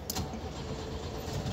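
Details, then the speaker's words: Jetta 2.0 that runs unstably, stalls at lights and sometimes has no audible fuel pump: steady starter churning with the throttle floored and no firing catching; cranks but will not start, fuel pressure to be checked. "le doy marcha con el acelerador a fondo y como que quiere arrancar no no le pisó el acelerador"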